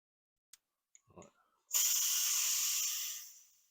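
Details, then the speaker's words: Jaguar XJ X350 Super V8 with coolant loss and suspected head gasket failure, cooling system pressure-tested to 1 bar: sharp steady hiss for about 1.5 seconds then fades; coolant leaking, owner thinks from low down. "so I don't know if you could hear that then but I've inflated it to one bar and it's pissing cooling out somewhere so really what I need to do I think it's coming from down here by the sound of it"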